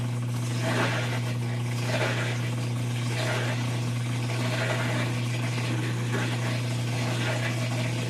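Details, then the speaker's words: Whirlpool top-load washer not spinning, in diagnostic mode during drain and spin, actuator working: steady low hum with a coarse rough edge; drain pump sounds unhealthy. "And that pump doesn't sound good. You hear that pump?"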